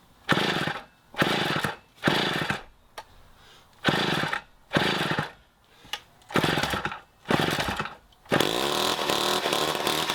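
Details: 1960s Homelite C-51/XL-12 two-stroke chainsaw revs in bursts about a second apart, cutting out between, then holds a ragged run; the carb floods for unknown reasons, so the low-speed screw was turned in to lean it.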